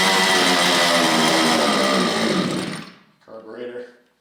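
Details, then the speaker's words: Losi DBXL 1/5-scale RC truck with Zenoah 32cc two-stroke engine, first start after over two years stored: high buzzy whine holds about three seconds then sags and dies; carburetor loose after filter refit, leaking air, running lean. "It looks like I did not quite put that on strong enough. My carburetor's loose, which means it's running a little bit lean."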